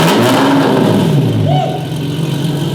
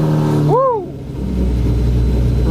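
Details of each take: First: Fast & Furious movie-spec Lamborghini Murcielago with its existing exhaust, which is to be removed: very loud, raspy rev with a harsh drone and no rich note; loud straight-pipe exhaust. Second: Lamborghini Murcielago, in neutral, first start with the key after fixing its no-start: starter whirs briefly, engine catches cleanly, settles into a strong steady run with a quick rev.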